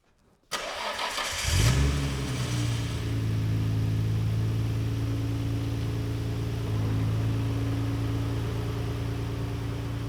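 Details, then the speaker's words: Nissan R32 Skyline cold start after new O2 sensors fitted to cure a 2800 rpm hesitation, hood open: starter whirs briefly, engine catches with a rev flare, then settles to a steady, even fast idle; healthy. "car was not warm when i first brought it in we just basically pushed it in real quick so it will need to warm up"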